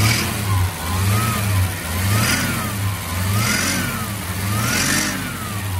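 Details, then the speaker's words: Restored 1979 Chevrolet Opala SS6 with the 250-S inline six, solid lifters. Idles with a steady low rumble and a light, even tappet tick on top. This is the characteristic mechanical lifter noise of the 250-S, normal. "esse barulho de tche característico do motor 250s"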